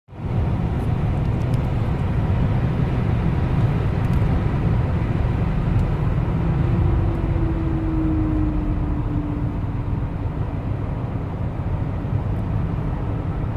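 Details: Mercedes W211 E320 CDI braking from 160 to 80 km/h after long standing with rust-coated brake discs: heavy road and wind roar with a faint mid-pitched howl sliding downward as the car slows. Cause suspected, not confirmed. Brake howl at high speed.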